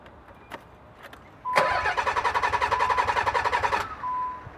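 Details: Nissan 300ZX, new fuel filter, fuel pump relay and PTU fitted without success: starter cranks about three and a half beats a second for two seconds with a chime, never firing; crank no start, fixed by replacing the failed fuel pump.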